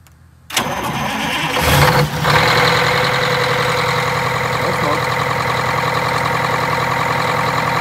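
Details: Detroit Diesel 8V92TA in a Wanderlodge RV bus, first test drive after rebuilding half the engine with 4 new pistons and wet liners: brief crank, catches almost instantly, settles to steady even idle with no knock or misfire; normal start.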